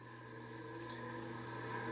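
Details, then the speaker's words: Maple syrup evaporator blower fan during a test boil with water, fan needed hand-spinning to start last year: steady low hum swelling as it spins up, no rubbing or rattling; running normally. "I'll crank it up here and there you go. Seems to be working okay."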